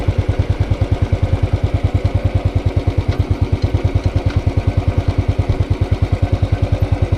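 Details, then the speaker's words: Motorcycle at hot idle after a short ride, with the dealer-replaced new engine (new starter, internals, throttle body and fuel injector): even, regular thump about three beats a second, no tapping or knocking, quiet valvetrain; normal hot idle. "you can hear nothing no have little choices whatsoever valve boys is quiet"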